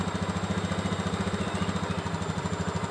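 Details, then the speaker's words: Honda Beat ESP injection scooter with the idle set to the factory 1300–1500 rpm guideline after about two and a half turns of the adjuster: a quick, steady putter of about twelve firm, even beats a second. Normal, healthy idle. "intinya tetap standar karena ada standarnya kalau dari bawaan pabrik itu sekitar 1300 sampai 1500 sudah cukup Jadi kita pakai panduan itu"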